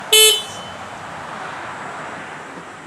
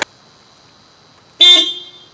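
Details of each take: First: Subaru Crosstrek stock horn before replacing the low-tone horn: one brief, thin, high-pitched toot with little body or volume, then handling clicks; anemic, weak horn. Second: Subaru Crosstrek after replacing the weak stock low-tone horn with an aftermarket 12V 110dB disc horn, high tone left stock: one strong, bright half-second blast with a clear steady tone, noticeably louder; a normal, healthy horn.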